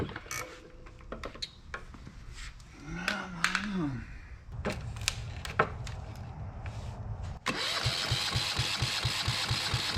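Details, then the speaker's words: Yanmar 1GM single-cylinder marine diesel in a shop, with cooling water running through for cooling-passage flushing: after some handling it catches and settles into a steady, even thump of about five beats a second, not bouncing around. Normal running. "I just wanted to start it up I got that water going through there I know the lighting sucks um but thank goodness that I've got it running um and it's not bouncing around"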